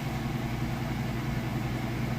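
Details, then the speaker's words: Amana washer in final high-speed spin after draining, at full speed: steady, even low hum with constant pitch and no knocks, thumps or scraping; smooth operation. Normal final spin. "it's got nice smooth operation. Sounds great."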